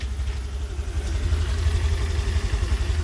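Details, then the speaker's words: Engine idling after replacing the tensioner (cause of the tak-tak noise; crankshaft and throttle body untouched): steady low idle with an even, soft beat, no tapping or chain rattle; quiet, normal idle. "So tahimik, aprobado. Salamat kay tensioner."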